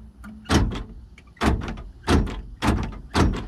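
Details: 1978 Chevy El Camino electric door lock: five short, solid clunks about a second apart with quiet between; the lock motor now cycles firmly and reliably.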